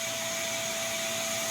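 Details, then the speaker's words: New FLSun T1 3D printer failing its self-test, with no heating and no axis movement: a constant, flat, high-pitched fan whine; the fan is stuck at full speed and cannot be turned off from the responsive display. "uh fan. I can't even turn the fan off."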